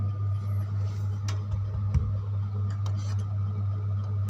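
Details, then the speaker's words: Home-built wooden-box power amplifier at full volume, input cable unplugged: right channel gives only a faint steady background with small clinks and no hum, so that channel is clean. "Ternyata alat itu tidak berdengung. Mari kita cabut kabel input di sisi ini. Sisi ini saluran yang mana? Saluran sebelah kanan aman, tidak ada dengungan."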